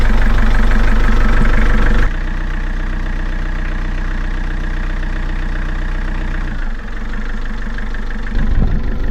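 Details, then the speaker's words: Narrowboat diesel after radiator repair and engine fix, test start on the mooring: fires and settles to an even, steady idle with a low regular thump, no knocks or rattles, sounding quieter than before. "Beautiful. Sounds so much quieter as well."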